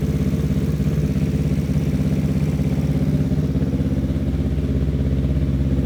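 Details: Newly built Yamaha R3 superbike race engine, replacing the stock motor, first start on a freshly flashed ECU map before dyno tune; even low exhaust pulse, no rough ticking or knocking, mechanically sound and assembled right; normal idle.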